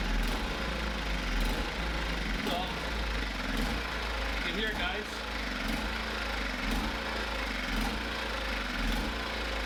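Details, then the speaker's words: Small generator engine run on 91 fuel, started with the choke: the idle surges with a slow rise and fall about once a second. The owner blames the carburetor idle circuit and plans to remove and clean the carburetor. "yeah so you can hear surge in there um so it's my idle circuit"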